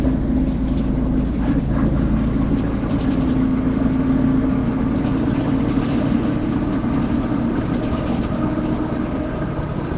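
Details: Inside a Caio Apache Vip 4 bus on express route 369 Candelária–Bangu, underway: a steady low droning hum over heavy road and cabin noise. The differential is said to be roaring; drivetrain whine under load.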